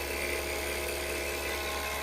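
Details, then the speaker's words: Harvest Right freeze dryer after drain valve fix and door adjustments: vacuum pump running with steady, even mid-pitch drone, no surging, gurgling or leak hiss; pulling down smoothly. "We can hear the pump running."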